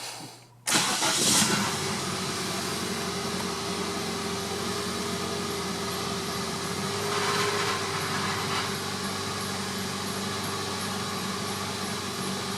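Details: 2001 Nissan Sentra after new fuel pump and float arm repair: cranks briefly, catches within a second, settles into an even, steady idle with no misses, knocks or stumbles; healthy start, fuel monitor now reading.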